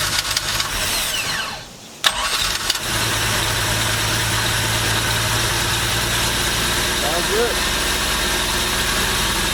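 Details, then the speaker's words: Truck V6 engine swapped into a MerCruiser ski boat, first start with electric fuel pump: quick crank, catches and settles into a steady, even idle with low drone; runs fine without timing adjustment. "good for the first start i thought i'll have to do messing with the timing and all that old stuff"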